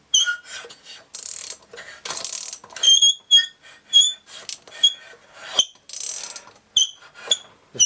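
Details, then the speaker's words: Solex engine with a starting problem, cranked slowly by hand: bursts of high, squeaky scraping and sharp squeals from internal binding, possibly a bearing; later found out-of-round flywheel, bad cylinder, poor decompression valve and broken fuel pump. "of binding and scraping does that be a bearing used to have compression tight oh it's really tight tight squealing sound doesn't sound good"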